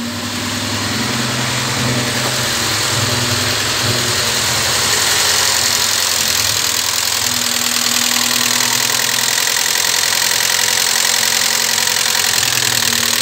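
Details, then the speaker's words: Chevrolet Vectra, cold engine, after lifter replacement with new oil pump, oil light off: light rapid ticking about three a second over steady idle from the front of the engine; lifter tick persists, cause unconfirmed. "solucionou um pouco galera mas ainda ele tá com a batida de tucho beleza [Música] ele ainda tá com uma batidinha de tucho eu vou lá na frente mostrar para vocês"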